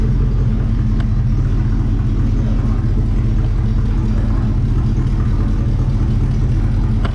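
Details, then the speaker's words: 1964 Chevrolet Chevelle Malibu SS convertible, 283 V8 two-barrel, factory four-speed, just revived (fuel pump doubtful, no brakes), driven through the yard: deep, even V8 rumble holding steady while rolling, no knocks or misses; normal healthy running. "I'll drive it again this thing does just sound incredible"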